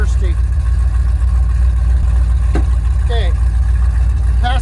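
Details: 1979 Ford Bronco V8 running after sitting, once fuel reached the filter: a deep, steady rumble with an even firing beat and no misses or knocks; healthy.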